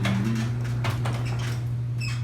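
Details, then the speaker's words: Garage door with a bent rail and a dry spring, before lubrication. Steady low opener hum with scattered sharp creaks from the spring as the door moves. "so we're gonna lubricate all this now watch what happens when that spring makes the noise [Music] yep you can hear all that creaking"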